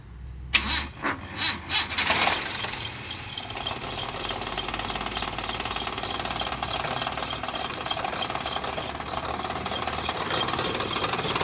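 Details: 1994 Toyota Kijang: slow, laboured heavy cranking for two seconds, then it fires and runs steady; the cause is distributor ignition timing, not the starter, and valve clearance also needs setting.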